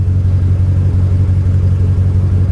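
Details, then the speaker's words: Cheap Copart vehicle at auction: deep low rumble surging and sagging unevenly, with a slight backfire, flashing warning lights and a strong gas smell. Rough running, cause unknown. "well that didn't run well it even sounded like it backfired a little bit yeah she doesn't sound good"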